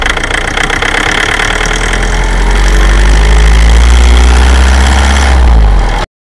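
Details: 2006 Toyota Avensis, 1AD-FTV diesel, pulling under load at low revs: deep drone with an uneven knock at about 19 and 39 seconds. Cause unclear.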